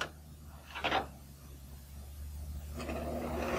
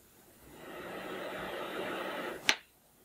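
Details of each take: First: Small electric fan motor: steady low hum with repeated dry rasping scrapes as it runs; dry motor bearings needing lubrication. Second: Small electric fan after repair with two tiny drops of oil in two places: motor spins up quickly to a smooth, even whir, no noise or squeal, running faster than before; slow-start fixed.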